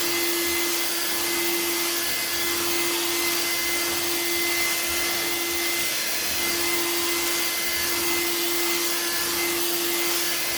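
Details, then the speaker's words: Old-school Bissell Featherweight stick vacuum with cleaned filter, run on hard floor: steady high-pitched motor whine with even airflow rush, no surging or rattles; works well apart from shooting some dust out the exhaust. "other than shooting a little bit of dust out of the exhaust it seems to work well"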